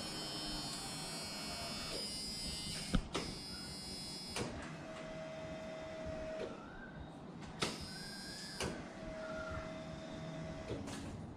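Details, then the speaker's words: C10 truck with LS swap, first start attempt, key cycled several times: separate short, steady mid-pitched buzzes of one to two seconds each; electric fuel pump priming normally. "Prime the fuel pump a few times. See if we can get some fuel all the way up."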